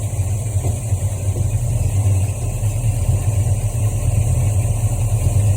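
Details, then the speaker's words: 1973 Ford Mustang Mach 1 V8, Holley 750 CFM carburetor, choke fully open and off the fast idle cam, automatic in Drive: deep, even rumble just over 600 rpm (about 620; about 700 in Park), within the 600–650 target; healthy idle. "Just over 600 RPM."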